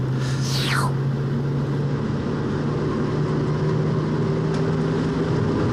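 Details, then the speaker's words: 1966 Mustang driven at casual cruise: a low steady drone near 130 Hz under the road rumble grows louder as the rear differential warms up: differential whine. "by you can really hear the differential getting louder and louder as warmer it gets"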